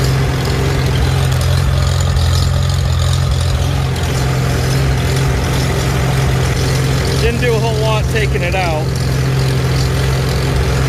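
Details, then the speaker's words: Old tractor idling after a cold start at about 70 degrees while the carburetor is adjusted: heavy low idle with an uneven, lumpy, surging beat. Fuel issues suspected, not confirmed. "see how rough okay that changed it for sure hear the surgeon"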